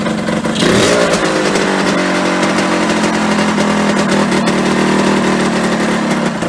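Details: Yamaha RD125LC two-stroke, stood 17 years, running after kick start: picks up cleanly, revs and holds a steady even two-stroke buzz without missing or stalling; running.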